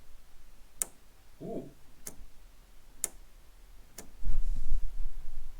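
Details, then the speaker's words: MAC valve boost control solenoid fitted to a Blacktop turbo engine, tested at 39 Hz and 50% duty, open loop: four crisp single clicks about a second apart over a quiet background; solenoid switching cleanly, fully working. "it works um right it works so if I press pulse in theory it should pulse it at 50% duty cycle and that is a fully working Mac valve"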